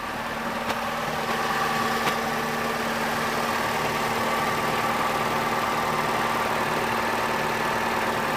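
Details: Opel/Vauxhall Astra Ecotec engine after replacing faulty crankshaft position sensor (P0335 no-start): even, steady idle with constant low hum, no misses, surges or stalling; repaired and running normally.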